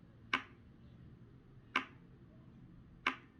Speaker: now if we switch it over to the semi-position we should hear a click